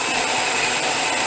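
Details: 15-year-old Jura F9 espresso machine after a scale-clogged heater replacement, brewing Strong Coffee: even, steady high-pitched grinding with no catches or labouring over the whole run; normal grinder operation.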